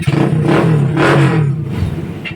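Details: GL Pro Neotech motorcycle, single cylinder, previously hard to start hot or cold without choke due to leaking valves: fires on the kick without choke and settles into a steady, even idle with no misfire or tapping; normal start and idle.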